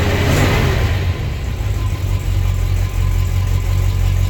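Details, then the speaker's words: 1955 Hudson Rambler, cold engine on choke at about 2,000 rpm, after a quick gas blip: a slightly uneven, rolling beat, a little loping. Engine otherwise fine; normal cam lope at idle. "can hear a little bit of loping on the engine."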